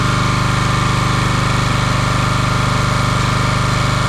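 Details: Champion 27-ton log splitter with a 224cc engine, stored outside and sitting a day or two, pull-started: a steady, even single-cylinder chug; a fluid leak was found at a fitting.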